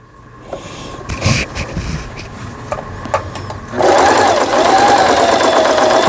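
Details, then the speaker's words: Singer 3221 sewing machine after shuttle race hook timing repair and new needle: quiet start, then fast steady even clatter, no catching or stalling; loud noise from empty space in lower housing echoing like a drum; normal sewing. "이 기계가 좀 소음이 크다고 이렇게 느껴지실 거예요."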